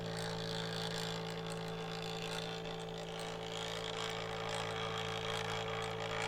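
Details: Kodak Advantix FD300 APS film drive scanning, microphone close to the machine: steady low hum with a fine fast whirring of the film drive, even and unbroken throughout; the scanner sounds normal.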